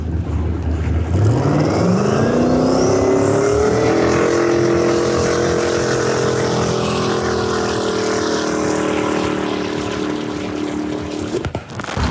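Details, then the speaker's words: Twin-turbo 427ci LSX in a 21ft Eliminator Daytona jet boat with Dominator jet drive, first water test: note climbs hard under boost then cuts out with a pop; thought to have gone lean, burst panel intact. "uh I think it went lean and popped sound like but uh it didn't blow the burst panel which was interesting it sounded like it was smoothing before then it was running good"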